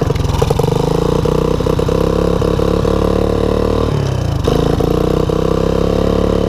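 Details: 1984 Honda ATC 200ES after low-compression revival and new Keihin PZ27 carb, partly warm, on choke in third low range: single-cylinder engine pulls steadily with an even, crisp beat, no knocks or misses.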